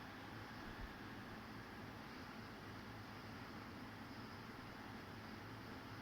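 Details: Fujitsu ASYG24 KLCA indoor unit No. 2, fan on level 4 High: steady, even rushing of air with no ticks, rubs or wobble; normal high-speed fan running.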